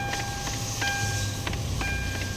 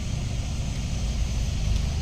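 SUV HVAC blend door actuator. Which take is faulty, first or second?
first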